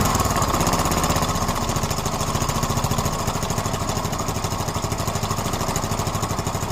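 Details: Yamaha Mio M3 scooter idling evenly with a fast, light ticking over the engine note; owner asks whether it is valve noise, cause not confirmed.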